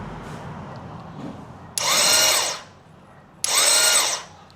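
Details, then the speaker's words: Royal Enfield Classic 350 with cover removed: two short high whirring bursts as the starter motor spins freely without turning the engine; worn one-way sprag clutch bearing not engaging, needs replacement. "See that the starter motor is actually working. It's trying to rotate this one. But the bearing there is s. It's actually a oneway bearing. It should only be moving one side. This case it's already gone. So it is keep rotating on one side without engaging on this side."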